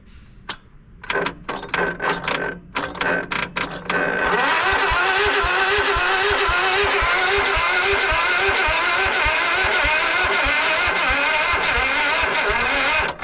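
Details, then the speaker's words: 1989 Craftsman riding mower, choke on and fuel shutoff just reopened after sitting for months: slow, uneven cranking bursts that never catch, then a steady labouring drone; battery too weak to crank it, so a jump start is needed. "yeah that ain't going to crank all right so what we're going to do is fire this puppy up and we'll have to hook up some jumpers"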